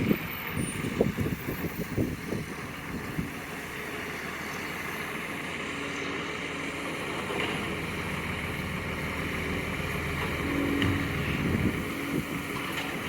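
Diesel garbage truck working nearby with a rough, raspy exhaust note and air brake hisses, suggesting an exhaust leak. Cause suspected, not confirmed.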